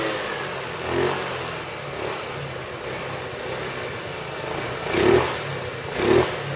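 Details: 2008 Roketa Sicily 150 scooter after repair: steady idle with four quick throttle blips rising and falling cleanly, no stumble or popping; engine running healthy before reassembly.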